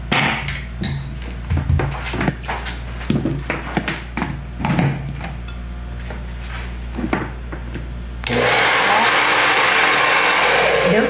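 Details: Taiff hair dryer after replacing the worn motor bearing (mancal) that caused a strange loud noise: after handling clatter, a smooth, even airy rush with no rattle or grinding; repair successful.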